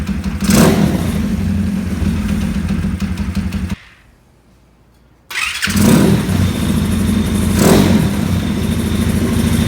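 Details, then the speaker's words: 2020 Orion RXB 150 pit bike, after chasing the spark plug threads (10x1) and turning the kill switch on: steady single-cylinder beat cuts out briefly, then restarts and settles into an even, healthy run. "Fuel's on. Oh, kill switch. Runs way better. That's awesome."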